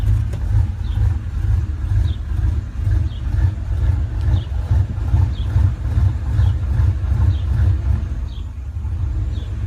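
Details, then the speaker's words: 1989 Chevrolet Silverado V8, fully warmed up: uneven loping beat, about two pulses a second at barely-open throttle, shaking, wants to die; fine when released or at higher rpm; light-throttle stumble, cause unknown. "Let go of the gas and it goes back to normal. Give it a little bit of gas again. Look at that, shaking. Wants to die. Shaking the whole truck."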